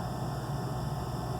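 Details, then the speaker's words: Gas package unit furnace on no-heat call, pressure switch not closing: inducer motor gives plain steady hum with no air rush, shaft spinning with wheel missing; unit will lock out; inducer assembly and capacitor to be replaced. "But she is turning right now. So we are just turning without a wheel. So we're not moving any air."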